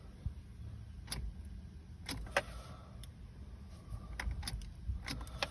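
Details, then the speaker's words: 2005 Toyota Matrix manual with brand-new starter and battery, key turned: a lone faint click from the dash, dash lights go off, no cranking; no-start no-crank traced to a failed starter relay. "the lights on the dash go off. No start, no crank. I put a brand new starter in this and a brand new battery, and the issue still persists."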